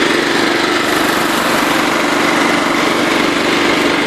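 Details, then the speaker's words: Kohler Command engine on a John Deere lawn tractor at wide open throttle: steady, even beat with no stumbling, so it runs well. Owner plans Seafoam and is checking odd starting; a separate rattle is unidentified. "Sounds good. Runs real good. I'm just going to run some seafoam through it."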